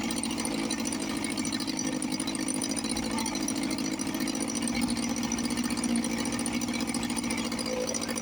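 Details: 1954 Johnson 5.5 HP outboard after refitting the magneto and rebuilding the carburetor, on a heavy oil mix: a steady, even two-stroke buzz holding speed without misses or surges; normal running.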